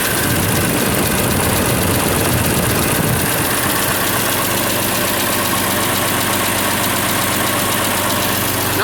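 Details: Farmall 706 tractor, IHC C263 engine, just after Steiner spin-on oil filter adapter install, oil level low after filling the new canister: steady, even idle with a quick regular beat, no knocks or rattles; nothing alarming seen. Normal idle.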